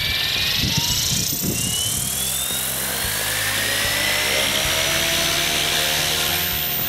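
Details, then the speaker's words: Goblin 500 electric helicopter, Castle Talon 90 ESC reprogrammed from problematic defaults to Heli Fixed End Point mode: smooth whine climbing steadily as rotor slowly spools up, no stutter or grinding; healthy slow spool-up. "first we should expect a nice slow spool up very nice"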